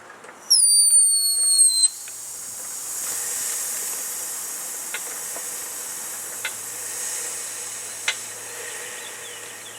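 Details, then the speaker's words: Mercedes-Benz S550 (W221) being jacked up: brief squeal, then a steady high airy hiss of air escaping the driver-side air suspension bladder, later found cracked. "now I'm so checking up the car you're gonna hear this hissing noise and that are obviously about this gonna definitely tell you that it is your air suspension bladder that has a hole in it"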